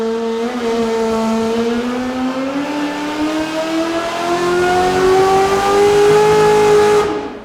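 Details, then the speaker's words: C8 Corvette with freshly refreshed engine, Link ECU tuned on dyno (throttle mapping, ignition timing), Borla exhaust: full-load pull note climbs smoothly and linearly with no dips or stumbles as heard before tuning, then drops off cleanly; running well. "You can actually hear it in the pull. It sounds linear, screaming all the way up and before you would hear these dips throughout the power."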